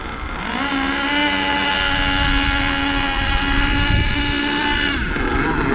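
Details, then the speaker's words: HPI Savage nitro RC monster truck engine, warming up, before high-speed needle adjustment: buzzing whine at one pitch that never climbs, slow, sluggish and burbly with lots of smoke; running rich. "Now, as I'm sure that you can hear, it's very slow and very sluggish because it's rich at the moment. A lot of smoke, very slow."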